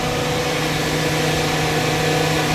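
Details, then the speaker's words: Chevy Silverado electric radiator fans, one side newly rewired with butt connectors: steady, even whoosh of both fans over a smooth idle, no rattle or rubbing; fans working normally. "Alright, man, got it to work. The fans, I just butted this one."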